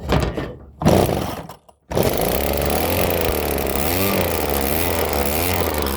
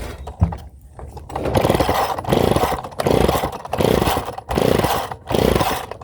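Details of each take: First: Well, Well, looks like we fixed it. So hopefully this will continue to run. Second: Rebuilt pull-start engine, first start attempt: uneven bursts of firing that catch and die, as if starved of fuel. Owner suspects a carburettor float stuck open; fuel is leaking and wet.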